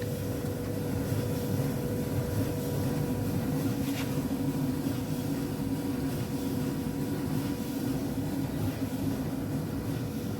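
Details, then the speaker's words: Alliance/Speed Queen commercial dryer after replacing the damaged drum idler pulley, its nut and the drum bearing slide kit: an even low hum with no scraping, thumping or squeal as the drum turns, and it is heating again. "okay now you can hear the noise no any abnormal very smooth the machine is running"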